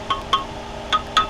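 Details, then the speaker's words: Concrete pump boom pipeline after washout, cleaning balls sucked back through: hammer taps on the pipe ring out clear, bell-like and hollow with quick fade, confirming the balls passed and the pipeline is clean with no blockages. "nice and hollow. I know that they're all the way here now."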